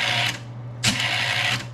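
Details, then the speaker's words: Bell & Howell Slide Cube RF60 projector: a low steady fan hum with two short whirring spins as the remote button turns the cube and drops the slide; normal slide-advance cycle. "I can take the remote and push it to advance I'm just pushing the button down and it spins all"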